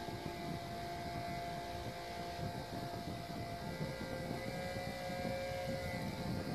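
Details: Cooling fan overvolted through a new 50 V max buck converter, with caps and diodes added to block motor feedback after the old converter blew on long runs, temperature monitored: high steady whine over airflow rush as the overdriven motor runs hard.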